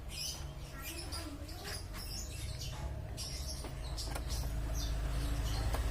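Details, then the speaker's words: Mitsubishi Kuda diesel 4D56 with complaints of rough, limping running, low power, slight overheating and an oil leak: a rough, uneven idle with a light ticking clatter; the mechanic suspects incorrect valve clearance, not confirmed. "Terus untuk suara mesinnya itu ada suara pincangnya juga gede mesinnya Ya kurang langsamnya kurang bagus kita coba dengarkan"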